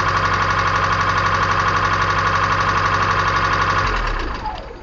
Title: 1994 Kia Sephia Engine Ticking Noise